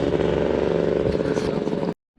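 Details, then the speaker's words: $200 two-stroke dirt bike, which previously would not start, with flywheel keyway sheared and ignition timing off: ragged, uneven burble that cuts out after two seconds. Rough running; later fixed by replacing the flywheel key. "So if I can track down a keyway, I might have a running bike soon. We'll see. Sounds like shit."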